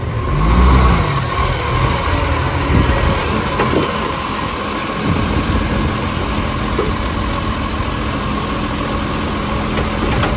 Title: Mitchell garbage - 1040 with an exhaust leak